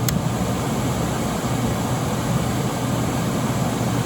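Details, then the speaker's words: Late-1980s Emerson Quiet Kool 10,000 BTU air conditioner, coils cleaned, fan only on low with compressor off: steady even fan rush over low hum, no rattles or rubbing; normal fan-only operation. "we're gonna start off on fan only here's low fan we're quiet"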